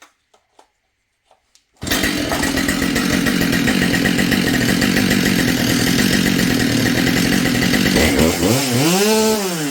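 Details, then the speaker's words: Husqvarna 572XP two-stroke chainsaw rebuilt from junk parts, after repair of a stripped muffler hole on the cylinder: dry clattery piston slap at idle, then revving up and down; owner suspects a decked cylinder and considers replacing the piston. "Now it's running good, but it's got a lot of piston slaps."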